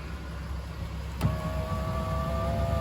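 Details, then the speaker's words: Land Rover window regulator motor after regulator replacement, vehicle running: click then smooth steady hum at one pitch over idling engine; motor and cables working fine. "Yeah, So that's working just fine."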